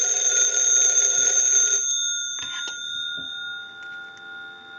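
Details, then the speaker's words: AT&T candlestick telephone with bell box, ringer tested because ringing was one of its issues. Loud, fast, even bell clatter for about two seconds, then the gongs ring out and fade; ringer works properly. "We're going to let that go a few times since that was one of the issues. I'll let it go one more time and we'll give you some dial tone."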